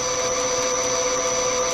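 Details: Lathe machining BSA Bantam parts (wheel nuts), tool chamfering the edge: steady, even hum with a constant high ring and no chatter or squeal; cutting cleanly, running normally.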